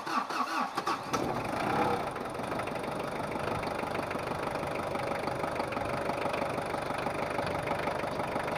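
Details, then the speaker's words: Ford Ranger 2.5 double-cab diesel after a recent engine overhaul: fires on first crank after priming fuel via glow plugs, settles into steady even idle clatter, engine still cold; normal start and idle. "Langsung hidup ya Lur Tapi masih belum anget untuk mesinnya kita biarkan dulu untuk suhu kerja"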